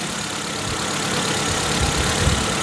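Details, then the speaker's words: 2002 Proton Wira idling after new fuel injectors were fitted and the old ones cleaned, fixing earlier misfiring and poor running: a steady, even idle with no stumble or flutter under outdoor wind hiss. "Runs like a sewing machine. There's no camera trickery there. It's not farting and fluttering and missing and struggling and idling. It's running well."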